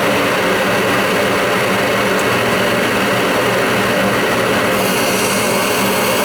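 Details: Old Goodman gas furnace inducer motor that had been binding, freed up after Kroil oil on the non-oiling bearings: loud, steady whooshing fan roar with no scraping or binding. Now running normally.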